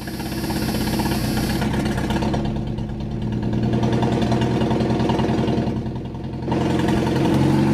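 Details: Abandoned Chevy S10 mini truck pulled from a junkyard, first start right after fitting a new distributor and cap with the battery reconnected: engine catches and settles into a smooth, steady idle with light blips, no knocks or misses. Normal idle; the distributor was the problem.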